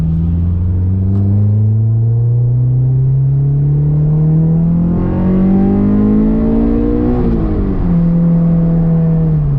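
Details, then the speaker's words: Honda S2000 after fuel injector swap and testing to chase a sputter: light-throttle cruising on the road, smooth steady tone rising and falling with speed, no stumble or hiccup; sputter appears gone, normal running. "Safely say that sputtering issue seems to have gone away. My light throttle cruising around has been really good."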